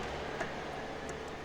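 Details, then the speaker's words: Fiat Punto with suspension knocking: a few light clacks as the steering is rocked, from play in the steering rack mounting bushing, which is completely worn out. "tamanho da folga que tem ali embuchamento acabou totalmente"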